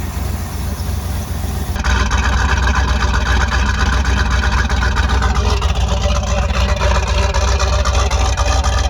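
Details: 334 small-block Chevy V8 after break-in and oil change, starting to warm up: fires up into a strong steady lope with a fast even pulse, no knocks or ticks; healthy idle.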